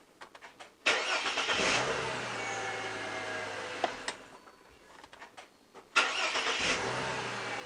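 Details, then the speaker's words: 2005 Ford Territory, brought in as a no-start, starts after repair with the battery reconnected: two short, crisp cranks, each catching quickly into a steady, even idle; it starts cleanly and consistently. "okay for a ford that sounded alright"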